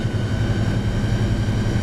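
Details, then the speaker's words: Semi truck cruising on US35 highway: deep, heavy diesel drone with a fast, regular low throb; driver says it intermittently gets really noisy and has booked a repair; source not pinned down, cause unconfirmed. "a I hate that noise man every once in a while it just gets really noisy and really annoying but what can I do we'll get her fixed"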